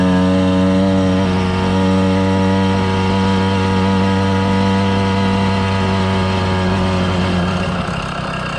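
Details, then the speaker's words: 110cc two-stroke motorized bicycle, loaded, running rich, held at about half throttle; steady buzzy drone with pitch barely climbing. The clutch slips if pushed harder, so a better clutch is needed. "it's about half throttle i don't try and go any harder it's just gonna slip"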